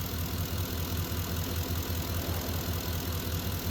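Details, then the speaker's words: Ford F-150, warm idle in 40s°F weather after wiring, ground and harness clip repairs, new belt and tensioner, about 14.59 V: soft steady low pulse near 2.5 beats per second with no alternator whine; normal idle. "definitely improving this our wire harness Clips are on nice the alternator quiet now there's no noise"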